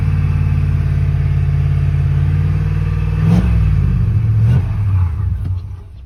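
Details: 4.6 truck that now has a dead battery: the starter turns it over steadily, with a brief surge, but it dies and won't start. Owner suspects the fuel pump went out; the starter is "not happy."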